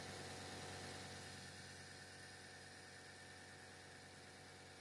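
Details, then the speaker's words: Fridge running louder than it should: a quiet but constant humming drone with a steady low tone. It cycles about 9 minutes noisy and 9 minutes quiet, sometimes ends with a clunk, and oil is dripping out; cause unknown. "Sometimes when it's done with this noise, it goes clunk clunk or I don't know. It does. So, it's usually 9 minutes it makes noise, 9 minutes, no noise, 9 minutes, noise."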